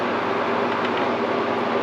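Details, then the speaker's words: Window air conditioner after power cord replacement with a 20 A GFCI plug (dog chewed the cord), on low cool; even fan rush with a low steady compressor hum, no rattles or clicks, air blowing cold. The unit is cooling normally. "And the compressor did kick on. You see it actually dim my lights just a little bit. And yes, it is. I can hear the pump running. And the air is blowing nice and cold."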